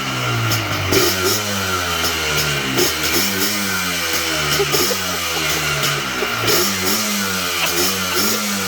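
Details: Cold Yamaha Blaster YFS-200 two-stroke ATV, previously bogging and stalling, blips up and down freely and cleanly without stutter after looping the brake switch wiring to bypass the faulty brake switch.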